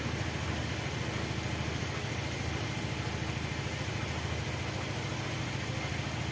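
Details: Honda Vario 110 carburetor scooter during the charging check with the headlight switched on: even, steady putter at idle with no misses or knocks; charging would not reach 14 V, and the battery is suspected.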